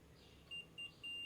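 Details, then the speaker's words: Mixer grinder that is dead, motor leads disconnected, power cable checked with a multimeter: two short high beeps then a steady continuity tone; the cable is good. "Side ഓക്കെയാണ് കേട്ടോ അപ്പൊ നമ്മുടെ cable ഓക്കെയാണ് കേട്ടോ"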